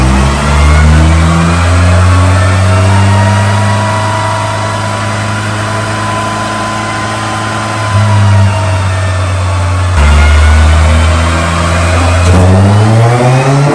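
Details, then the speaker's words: Honda Civic EG with K20 engine on a dyno, pulling hard in third and fourth gear with a slightly ragged, uneven note. Misfire under load; cause unconfirmed, spark plugs to be changed first. "so I've got a misfire so we have to uh change this Muffler to see what happened guys because I even misfied like that the number is not correct"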